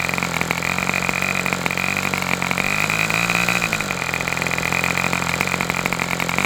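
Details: Customer's Fox twin-cylinder glow engine on probably its final run of the day, outdoors as it cools off: high, steady buzzing note with only small wavers in speed; running cleanly on both cylinders, normal run.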